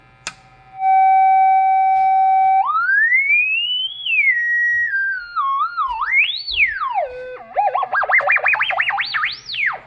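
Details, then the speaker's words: BK Precision 1050 telephone analyzer speaker with audio frequency knob turned: clean pure tone holding steady, then gliding smoothly up and down with no dropouts; oscillator working properly. "And then there is also this audio frequency knob that we can play with, so let's go ahead and turn that"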